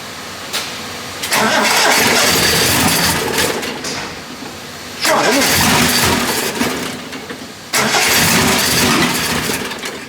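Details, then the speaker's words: Triumph TR6 under restoration, on a start attempt after tappet adjustment, gives three long bursts of steady cranking without catching; it only tries to fire on Easy Start, and the owner suspects ignition timing, with backfire through the throttle housing. "this easy starts is hoping it try to fire but as soon as it's used up the easy start it stops again could it be that timing is out"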